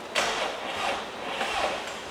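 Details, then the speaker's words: Mustang with a newly installed built motor, first start attempt with two batteries, gas and clutch pedals down: starter drags the engine through only two or three sluggish turns with no catch; slow cranking, new battery suspected needed. "That was like two and a half. Sorry. I think we're gonna have to get a new battery."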